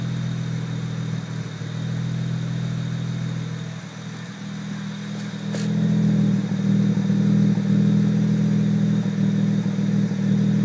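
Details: BMW 335i N54 petrol six with a rough idle: a low drone that surges and dips with an uneven beat. The car shakes violently and often, throws no code, and accelerates fine; the dealer called it unfixable.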